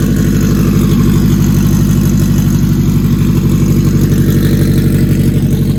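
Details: Acura RSX, K20 with stock turbo kit, just after first startup of build: smooth, even idle with steady low beat near three pulses a second, no knocks or ticks; normal idle.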